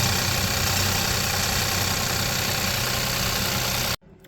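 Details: Hyundai/Kia 1.0 TGDi turbo petrol engine idling with a light fast metallic rattle from the turbo wastegate linkage, first thought to be timing chain; fixed by fitting a small spring on the wastegate linkage.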